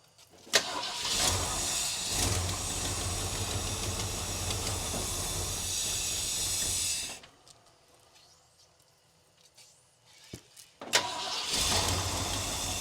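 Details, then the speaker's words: 1966 Ford Galaxie 500, first start after sitting: it idles very shakily only while fuel is continuously squirted in, runs rough, then fades and dies; it is smoky and it doesn't seem to be pumping. Finding: stalling from fuel starvation. "If I continuously squirt fuel at it, it seems to want to at least kind of idle. Oh, it's coming back around. Very shaky."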